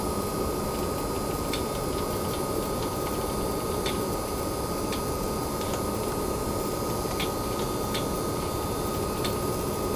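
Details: Newer-revision base PS5 running a PS4 game at temperatures in the high 40s: even, steady rushing fan hiss with a faint thin high whine underneath; coil whine heard in pause menus. Cooling fan noise.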